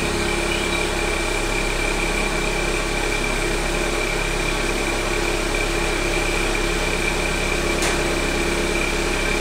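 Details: 1.4 TSI 122 HP engine, first start after the night, once the 20–30 second loud catalytic converter heating phase has passed: steady even hum with faint high tone, no knocks or misses; normal quiet idle.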